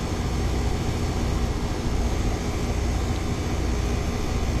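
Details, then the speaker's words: Ameristar 4-ton AC condenser in 106F heat after replacing a failed Genteq capacitor with a Mars 60/5: steady even fan rush over low compressor hum, no knocks, rattles or buzzing; compressor about 18.3 A, fan 0.9 A, running normally. "Oh yeah, it's making some cold Freon now. Yep, it's already pulling a bunch of heat out of the house."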